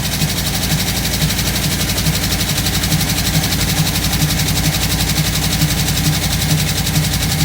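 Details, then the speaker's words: 1958 Chevrolet Biscayne V8 after a carburetor rebuild, previously running on four cylinders: a steady idle with an uneven lope and a stumble about twice a second, like a dead cylinder. Smoking; owner suspects valve seals, springs or rings; compression test possible. "might need new rings but runs still sounds like it's missing a cylinder though"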